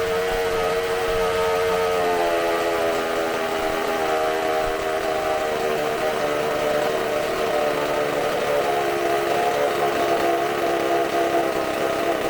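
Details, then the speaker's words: Bench test of a supercharged McCulloch two-stroke chainsaw engine, carb cleaned and new gaskets, running off tank fuel: steady high-pitched scream held flat at full speed, no misses or sag; runs fantastic, eats fuel quickly. "You're gonna hear me a lot of wooing and stuff because I'm shaking, but that runs fantastic. It eats up so much fuel so quick."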